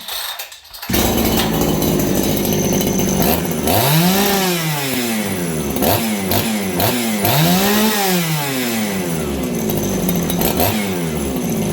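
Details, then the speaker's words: Farmertec 288 kitsaw (aftermarket chainsaw) with aftermarket carb, high jet at 2 full turns out: revs up and down but burbles and stutters at full throttle, heavy four-stroking, running rich; carb suspected, OEM carb to be tried. "Okay, well, you guys heard it there. It's 4-stroking heavily."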